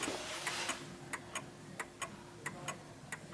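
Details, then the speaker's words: 1950s Smiths Enfield striking mechanical mantel clock tilted onto an uneven surface: lopsided tick-tock, tick longer than tock, and the clock slows and stops because it is so uneven. Out of beat. "you can hear that the tick is longer than the Tock so it's just going a bit further out and it will come to a stop because it's so uneven"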